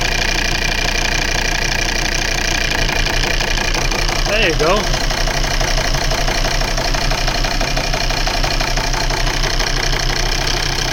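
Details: Volvo V70 2.4D P3 diesel at idle: lumpy running with an uneven thud about three times a second as one cylinder drops out; misfire from a faulty injector wiring loom, and wiggling the cable brought the cylinder back.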